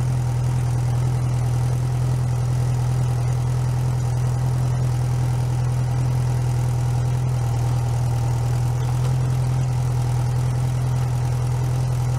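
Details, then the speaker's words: Rebuilt 1641 VW Type 1 air-cooled flat-four, bench-started outside the car, first run with choke mostly closed while cold: deep, steady putter with an even beat and no tapping, knocking or stumbling; normal idle. "so when it's running i'm going to try to not talk very much because you know it's just a running engine i'll have it running for a little while so you guys can hear what it sounds like and everything"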